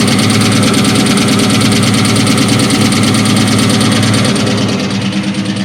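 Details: 2003 SVT Cobra at idle: busy rapid light knocking about three a second; piston slap from badly scored pistons.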